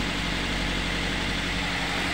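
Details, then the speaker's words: Daihatsu Gran Max after repair of rough knocking under throttle and misfiring, oil pressure switch replaced and oil light now off, warming up after start: steady, even idle with a smooth low rumble and no knocking or ticking. "Oke ini tinggal kita tunggu sampai ring dulu ya teman-eman kita biarkan hidup sampai nanti pas aktif suar sudah halus ya tem- Su sudah halus seperti kemar"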